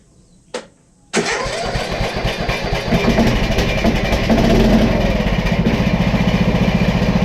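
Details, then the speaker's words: Dad's tractor started after disconnecting and pinching off the fuel line, battery on a tender and suspected bad: short crank catches quickly, settles into an even steady idle about 220 beats a minute, no misses; normal start and idle. "nice and smooth sweet i love"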